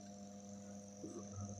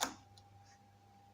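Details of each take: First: Floor fan motor after disassembly and re-lubrication of dried grease, tested without blades on first speed: steady low mains hum with faint high whine, running smoothly; second and third speeds also fine. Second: Old floor fan on first speed: switch click then faint steady electrical hum with no blade rotation; voltage reaches the motor but the shaft resists turning by hand, seized in the bushing.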